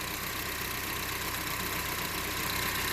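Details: 2011 Honda CR-V 2.4L after intake plenum removal and reinstall to reach the rear PCV hose: smooth, even idle with a steady hum and no misses, stumbles or shake; engine sounds healthy.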